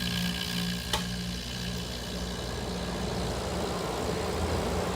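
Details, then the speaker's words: 1980s General Electric Thinline window air conditioner, before restoration. The thermostat is turned up, a short click, then the compressor kicks on with a steady low hum. It runs evenly with no rattle or strain, blowing cold air on low, medium and high. "we go nice cold air okay it's on local switching up to medium and high oh yeah sounds good"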